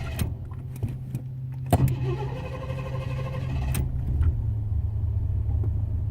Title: Hard start in Noconas